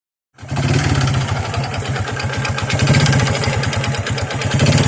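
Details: Honda XRM 125 single-cylinder before overhaul, kick started: hollow regular knocking under its idle beat, mixed with piston slap from the block; connecting rod knock.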